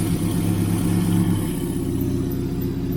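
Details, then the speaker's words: 1989 Austin Mini 998cc A-series, carbureted, running after fuel was poured into the carburetor. Idle has a slightly uneven beat that settles lower. Mild stumble at idle. "is it going to stay running I think it [Music] is stumbling a little"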